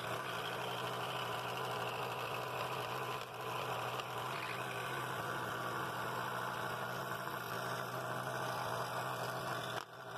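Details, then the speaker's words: Scroll saw cutting half-inch walnut for a lucet project, speed raised slightly for a smoother cut; even, steady buzz from blade and motor with no rattle or knock in the mechanism: normal cutting. "it cut it really nice and smooth i sped the saw up a little bit because it makes a little smoother cut when you're doing that less sanding"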